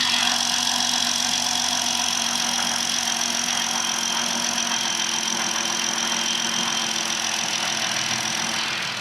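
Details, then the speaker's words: Jeep JL/Gladiator engine with 27,000 miles, old 0W-20 oil before oil change, listened to up close at cold idle; faint, fast light ticking over a steady hiss, no deep knock; normal valvetrain tick, not damage. "I mean, personally, I'm not a huge fan of the sound of this engine. It just uh it does sound a little ticky to me, but not like damage type ticky."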